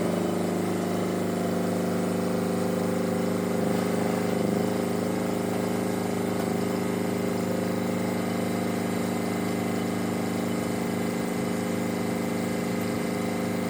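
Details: Perkins two-cylinder diesel fitted by a previous owner to a Power Pony, running after its fuel system was bled with a new banjo bolt and glow plugs were used. A steady, even chug with no misses or knocks; normal running.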